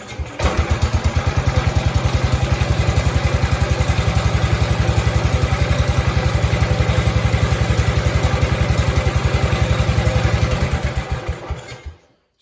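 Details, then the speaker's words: Cub Cadet Cub 105 single-cylinder engine, starting off a battery charger, idling unthrottled: even, steady thumping about four pulses per second, no misses or knocks; runs smoothly, though it often fails to start when installed in the tractor. "and runs good it runs really nice really nice really smooth"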